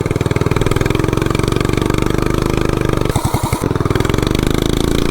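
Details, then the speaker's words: 420cc big block minibike on a Doodlebug frame, governors removed, PZ30 carb, header, worn cheap 14-tooth clutch and 40 rear sprocket: hard choppy revving that barely pulls, centrifugal clutch slipping under load. "I mean, you can tell it has a lot of torque, but the only thing is with the highway gearing that's on the bike and then the clutch, it just wouldn't put down the power. I mean, it would totally slip the clutch."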